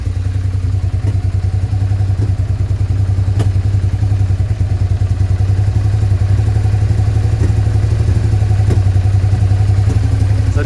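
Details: Suzuki SV650S V-twin after carb cleaning, airbox refitted, before multimeter adjustment: deep, uneven idle with sharp pops every second or two; rough idle with popping, cause still being tracked down.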